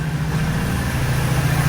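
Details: 1986 Oldsmobile Cutlass 442 G-body V8 after an exhaust leak repair; a smooth, quiet, even idle with no ticking or puffing, a healthy exhaust note.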